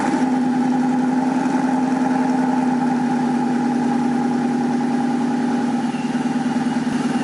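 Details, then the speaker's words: 2012 Mustang GT V8 idling after 2013-2014 rear bumper swap and new Borla S-type quad-tip mufflers; deep, even burble with no ticks or misses, felt to sound deeper outside the car than inside; normal healthy idle. "It sounds good. I mean, it really deeper. Doesn't sound like that different. I think it sounds deeper outside the car,"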